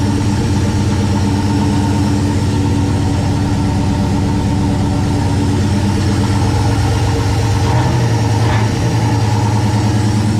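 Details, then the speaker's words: 1969 Plymouth Valiant, stock 360 Magnum V8 with Mopar Performance cam, GT45 turbo at 5 psi, TF727 transmission, first start after a month off: fires instantly and settles into a steady, even low rumble with one throttle blip. Normal idle. "good deal instantly fired up that's always a good sign"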